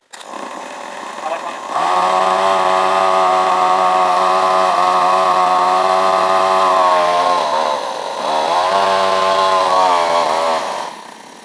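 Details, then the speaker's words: Small outboard motor, warmed up, just fitted with a new carburetor after the old one failed, earlier bogging at wide-open throttle: buzzy two-stroke note holds steady, dips briefly, recovers cleanly; normal running. "think that's a success my buddy's gonna be very happy with that"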